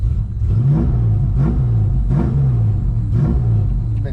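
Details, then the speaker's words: Coyote V8 Foxbody Mustang started after sitting five days; fires right up and runs strong with quick throttle blips about once a second, pitch rising and falling cleanly, no misfire. "Been sitting here 5 days and fires right up."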